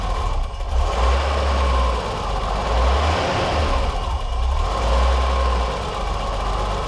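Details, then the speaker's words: 1989 BMW 325i E30 after a timing belt, water pump and gasket job: uneven six-cylinder idle that swells with throttle blips, drops when the throttle closes, then returns to a smoothish but unsteady idle. The fix involved the pulse sensor. "the car didn't idle very well you blip the throttle and the idols would drop then when you close the throttle the idle would drop and then return to a sort of smoothish item"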